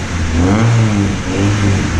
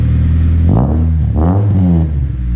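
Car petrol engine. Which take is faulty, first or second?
second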